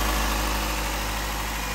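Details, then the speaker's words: 2009 Nissan Altima after replacing spark plugs and coils to cure shaking and rattling; smooth, steady idle with low even hum, no shake, rattle or skipped beats, normal idle, owner believes it is fixed. "i'm like so excited right now i think we fixed it i think she's fixed guys"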